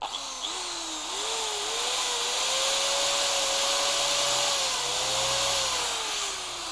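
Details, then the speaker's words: Bosch GBM320 corded electric drill after repair, slight normal sparking, burning smell gone: motor spins up to a steady, even whine following the trigger, no rattle or grinding; normal motor run. "ปกติแล้วนะครับตอนนี้ไม่มีกลิ่นแล้วนะครับจะเห็นไฟแลบอยู่นิดๆนะครับอันนี้เป็นปกตินะครับ"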